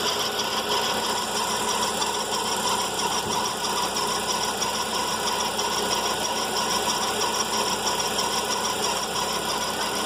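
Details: VW Fox at morning cold idle: a constant high, thin whirring over a steady idle, following no knock rhythm, from a worn accessory serpentine belt idler pulley bearing.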